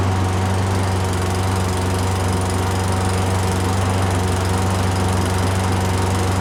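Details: Curbside Poulan Pro mower, Briggs & Stratton 550EX, said to have a broken piston, started on ether with oil-soaked carburetor: steady deep drone with slightly uneven beat under fan noise, smoking heavily; rough running from crankcase oil overfill, carb needs cleaning.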